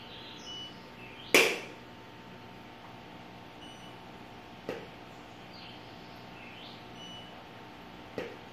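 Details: Godox AD600B TTL flash fired at full power with its trigger: one sharp loud crack on firing, then two fainter snaps; loud firing noise, cause unclear.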